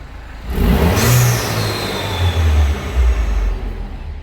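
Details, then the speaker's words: Citroen DS3 with newly fitted performance induction kit, warming up after cold start, MAP sensor refitted correctly: blips up with deep breathy intake roar and settles smoothly, clean pickup; the intended sound, normal revving. "and that's the what we were aiming for the sound well let's just keep it warmed up for a bit"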